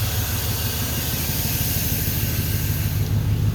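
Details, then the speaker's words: Suburban V8 at idle after the racket was traced to the AC compressor on its own belt, not the engine: deep, even burble settling to steady idle, no knocking or rattle; running good, no more noise. "she's running good no more noise I'll talk about this in a second here the racket one away she running good"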